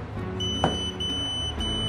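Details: Xiaomi Yi action camera repaired after water immersion, with several parts replaced, powering on while the charger is plugged in: a steady high electronic tone and a faint click over room noise, a normal power-on beep.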